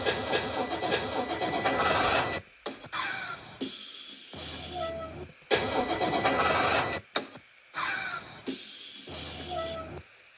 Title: Bus 1000 won't start pt 2